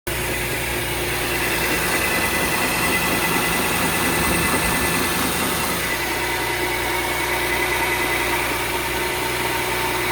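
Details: VW Touareg 3.6 FSI at cold idle, dull fast knock buried in the steady hum and hiss; cold-start engine knock, cause unknown.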